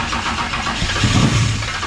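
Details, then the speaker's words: Camaro with 10.3L supercharged big-block V8, first fire-up: churning on the starter with uneven catches trying to fire after distributor corrected from firing on exhaust stroke; sounds much better, nearly running. "trying to fire yeah it sounded a lot better already"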